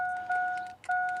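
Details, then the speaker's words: 2000 Chevy Silverado 5.3L that won't start: aftermarket alarm module stuck in alarm mode, repeating a two-note electronic chime about once a second; remotes not recognised, fuel pump runs, owner suspects the alarm is bypassing the ignition. "So, I'm just going to go through that and uh chop everything out so that we can get this truck started again cuz it's just stuck in this mode of like"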